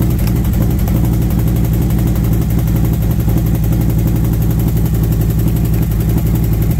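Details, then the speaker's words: V-twin after new SS540 cam and SS valve springs, lifters set four turns, warmed up: fast light tick at idle keeping pace with rpm, loudest at front cylinder; owner suspects lifter or valve train noise, possibly front exhaust side, unconfirmed. "I Shot all that when I change the cam and valve springs now I have a lifter tick something tick"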